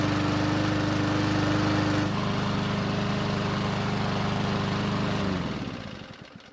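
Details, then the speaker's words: Ariens mower after long storage and carb work, hot restart with fuel squirted into carb: catches on fourth pull, runs at fast even beat then cuts out and winds down; hard starting when hot, old tank fuel suspected. "So it took the fourth pull to get it to start, and the way it started was also not typical."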